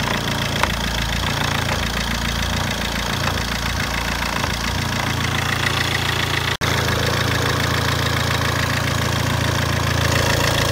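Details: Albea 1.3 Multijet diesel at steady idle: regular knock about four per second over low drone, knocking sound from the engine.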